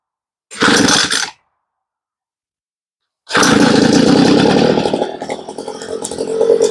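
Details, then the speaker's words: Homelite leaf blower that only ran on choke, now after a carb rebuild, being tuned on the low-speed screw with the high side almost fully off. A short burst, a pause, then a rough two-stroke buzz that sags and wavers; mixture not yet set. "So you can see we went to the low side and we adjusted it until we got the idle about where we wanted it."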